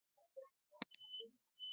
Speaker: You can hear the beep. Okay. I hear the beep. You can hear the beep.